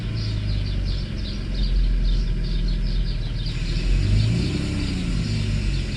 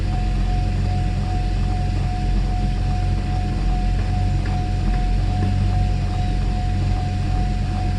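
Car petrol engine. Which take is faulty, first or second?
first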